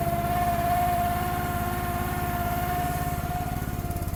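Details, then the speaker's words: Gas-engine mini machine on a cold, snowy day, choke off and warming up: a steady mid-pitched hydraulic-pump whir over the idle putter while unused. It quiets when the hydraulics are used; the owner suspects the cold, cause unconfirmed. "Hear that hydraulic pump whirring? It's cold out."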